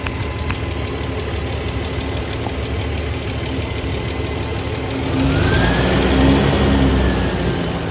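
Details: Toyota 1FZ-FE six-cylinder truck engine idling with a light, regular tick of about four per second over a steady hum.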